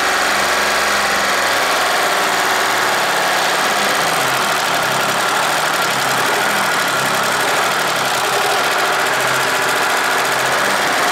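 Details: Deutz 3-cylinder diesel, previously hard-starting early mornings, idling after a gravity-fed fuel tank modification: even steady clatter with no misses, surging or hunting; normal diesel idle.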